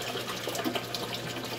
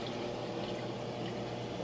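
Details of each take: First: Well, as you can hear, they're noisy. They splash water around. They do airate the system. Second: Aquaponics siphon drain fitted with a muffler tube: water rises at the top and drains down a long tube below the surface, drawing air bubbles out the bottom (venturi effect aerating the fish tank); soft, steady, quiet gurgle with faint hum, no slurping or surging.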